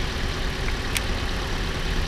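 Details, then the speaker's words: About 2013 RAV4 idling after swapping coils 2 and 3; misfire remains on cylinder 3, pointing to a dead spark plug; rough uneven low idle with lumpy irregular pulses; cylinder misfire. "not moved. It's still on number 3. Which would mean that we've either got a dead spark plug."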